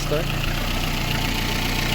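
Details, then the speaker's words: Lada Kalina, original 130,000 km (odometer 129,999), engine warming at about 55–60 °C after valve adjustment: steady, even idle with no ticking or knock over the exhaust hum; pistons quieting, running normally. "покажу вам як працює Ось так Він працює ну чуєте поршеньки наші затихають"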